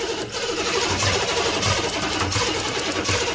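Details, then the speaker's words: 1985 GMC Jimmy 6.2L Detroit Diesel plow truck, suspected injector pump fault, external fuel pump hooked up: steady cranking thumps about twice a second, smoke from tailpipe, never fires; cause not confirmed. "That's the closest we've been to something happening. There's smoke coming out the tailpipe."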